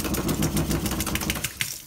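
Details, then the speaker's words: Household water pipes banging when water is turned on: rapid knocking, about seven sharp taps a second over a low rumble, then fading; water hammer, fixed by installing a 1/2-inch SharkBite water hammer arrestor. "it's called a water hammer and i'm going to show you how to get rid of it"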